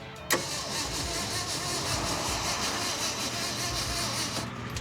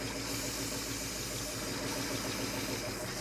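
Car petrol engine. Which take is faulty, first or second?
first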